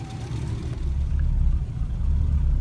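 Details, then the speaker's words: S54-swapped E30 M3 on a cold start, idle air valve not hooked up and only about a quarter open: very slow, lumpy, deep uneven chug around 250–300 rpm, barely holding on. Very low cold idle. "so and cold start use a lot more air to idle that's why it's so low and uh barely idles when it's this"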